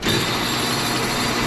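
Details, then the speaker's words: Homemade copper wire stripper with a swinging roller mounted on two scrap spacers and no bearing. A thin, steady high squeal sounds over the spinning whirr: squealing roller from lack of a bearing. "oh I knew it was going to make that noise yeah we're gonna have to get something with a bearing"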